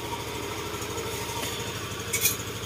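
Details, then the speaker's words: Yamaha MXi 125 scooter, oil-starved engine repaired and refilled with coolant and oil, final test: starts first try, quiet even idle with no tapping or rattle; check engine light only from the faulty speedometer cable. "Ayan, one, one start din naman siya. At uh, ayan, tahimik na yung kanyang"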